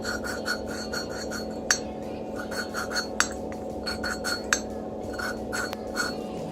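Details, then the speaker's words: FMB139 pit bike engine valve lapping by hand with paste: gritty, sandy scrubbing that rises and falls as the valve is twisted back and forth on its seat, with light clinks; normal lapping sound. "słyszycie nawet, tak Wam pokażę, słychać, że między zaworem a tutaj gniazdem zaworowym jakby mieliło piasek, coś tego typu, nie? Tak ma być."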